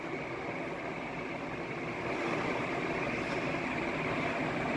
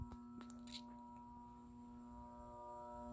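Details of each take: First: Banvil Enviro Breeze Gold Line 56-inch industrial ceiling fan, cast iron motor, made May 2018, on high: soft even whoosh of air, no knocks or rubbing; fan running normally. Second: 2018 Banvil Enviro Breeze Gold Line 56-inch industrial ceiling fan with a cast-iron motor, run on low with a solid-state speed control: loud, steady, pitched electrical buzz with ringing overtones; a three- or four-speed control is needed.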